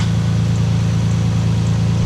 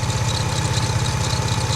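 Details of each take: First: Lexus IS200 idling after an oil and filter change: steady, even low idle with no squeal or chirp over the top; the earlier belt noise can no longer be heard. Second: Lexus IS200 idling during an oil change: steady idle with fast, even low pulsing and a thin whirr above it; clutch ruled out, owner suspects a poorly tightened dry timing belt, not confirmed.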